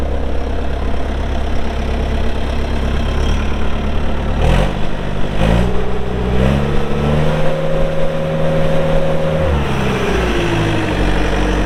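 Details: 2004 Bobcat T300 skid steer, pre-emissions Kubota diesel, 3,664 hours: deep even diesel rumble climbing smoothly with throttle and settling back; healthy running.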